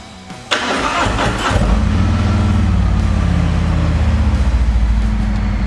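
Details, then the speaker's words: Harley-Davidson Road Glide Special started in neutral with ignition on via cut-off switch: quick starter burst, V-twin catches at once and settles into an even, lumpy idle; normal healthy start. "so obviously it started in neutral"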